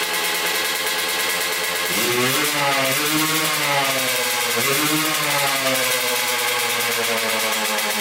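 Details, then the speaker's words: Kawasaki KX125 two-stroke with a leaking carburetor and apparently missing needle: revs climb, then sag and flatten when snapped to full throttle. Bogs at full throttle; owner suspects power valves not opening and will check the reeds. "we can hear it kind of bog out when you do full throttle so when you go all the way down you can hear it bog out really really bad"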